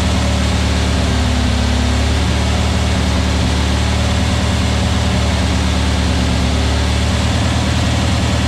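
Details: New VW Beetle 1679cc single-port flat-four, Scat C25 cam, dual Empi ICT carbs, first fire-up during 20-minute cam break-in: smooth even low drone at steady speed, no knocks, misses or ticks; timing spot on, no leaks, carbs need tuning; normal running.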